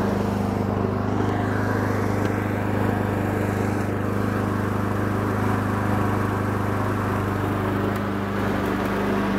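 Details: Honda Harmony 215 mower engine, warm, after a third carb cleaning; idle mixture screw tip broke off so there is no low-end adjustment. Steady, even hum at constant speed with no misses or knocks: running smoothly.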